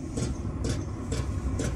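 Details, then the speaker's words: Chinese 12 V 5 kW diesel heater, fuel pump mounted on the case: sharp ticks about twice a second over a low running hum, the pump vibrating loudly through the case; noisy pump ticking. "there you go that's pretty noisy"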